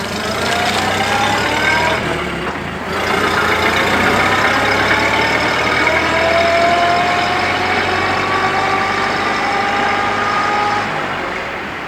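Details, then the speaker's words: 1930 Ford Model A transmission with reproduction gear set: steady gear whine rising and falling with shaft speed; normal sound of reproduction gears. "I have the Mark USA bearing, the Mark USA gear set. That one has more of a whine to it."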